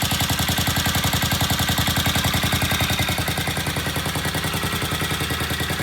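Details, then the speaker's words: Vintage British motorcycle after new Boyer mag pickup and sealing a loose exhaust pipe with aluminium tape (previously would not idle): steady even thumping idle about 214 beats a minute, no stumbles; normal idle. "Wow, listen to that idle. Okay, now I put a new mag pickup in the Boyer, and I did as my good friend suggested and sealed around the exhaust pipe, which was loose."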